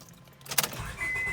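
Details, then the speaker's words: 2001–05 Honda Civic with a failing ignition switch that sometimes won't crank, especially cold mornings: key click, short chime, then the engine catches promptly; this time it starts normally, before switch replacement. "Okay, this time it wants to start up right away, and as you can see, my radio's working, everything."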